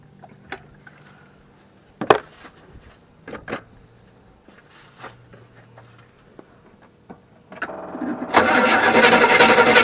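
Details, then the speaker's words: 1974 Avanti V8, sitting unused, started in warm January weather after confirming spark at the plug and adding fuel: several seconds of clicks and clatter, then it catches and runs loudly and unevenly for a short time. "well there we go yeah it went for a little bit"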